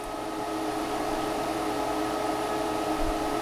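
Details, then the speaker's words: Portable Breezy 3-speed evaporative air cooler with washable sponge filter: soft steady whoosh and faint even hum, no rattles or ticking; fan running quietly and normally. "it's not even loud my thought is in the garage too on the treadmill i mean would it hit far enough that i could feel it on the treadmill"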